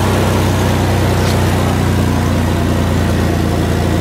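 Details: 2000 Toyota 4Runner petrol engine just after fuel pump replacement, first start: even, steady low hum with no knocks or ticks while checking a small fuel line leak. Normal idle.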